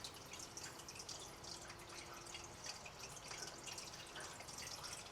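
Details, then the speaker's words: Reef aquarium sump, measured about 3 ft away with the skimmer off: a constant hiss with sharp irregular splashes. With the filter-sock silencers removed, water falling into the socks gets louder, up to about 53 dB versus 44–48 dB. "you can definitely hear that it's louder goes up to about 53 d"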